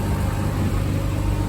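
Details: V6 (2GR) swapped MR2 idling after coolant bleeding, cooling fans on, temperature good, before first drive: smooth even low idle, steady burble, no ticks or misses; sounds like a healthy 2GR idle.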